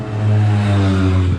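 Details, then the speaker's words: Suzuki SMX 50 two-stroke after engine rebuild, warm, restarted on one kick: burbles with a low steady drone after a brief blip and sits at a slow idle; owner suspects idle too low for a two-stroke. "jeden strzał i zapalony może te niskie obroty są za niskie Jak na dwusuwa"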